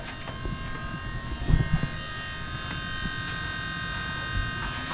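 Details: Holden Astra electric power steering pump newly fitted to a V8 (350 Chev) Toyota Land Cruiser HJ75 Troopcarrier, building pressure with no leaks: steady high electric whine holding one even pitch, no surging or groaning. Normal running.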